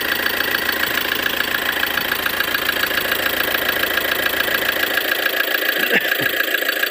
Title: Форд Транзит 2,2 2013 г стук в моторе.